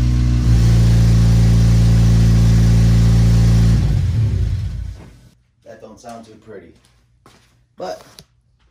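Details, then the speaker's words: Honda Civic FA5 before repair, missing donut gasket between header and mid-pipe/cat: loud rough rev with a steady fast puffing tick about four a second that rasps harder on throttle, an exhaust leak. "we're gonna fix the exhaust leak on here causing it to sound so ugly so i'm gonna go start it up real quick so you guys can hear the difference"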